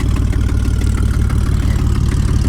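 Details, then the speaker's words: BMW 325xi E46 with no cats or muffler, factory resonators: loud raw idle with rapid low puffing and ticking from a heavy exhaust leak at the headers, several header bolts broken or missing. "all you know is it there are several bolts missing from the headers on this car and obviously the headers have got a hell of an exhaust leak right now"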